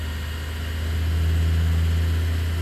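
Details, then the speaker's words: Wen 3420 variable-speed 8x12 mini wood lathe, first start-up, speed brought up toward maximum: deep even hum swelling slightly with speed, no knocks or wobble, no vibration, very smooth; normal motor run. "Still no vibration felt. Seems to be very smooth."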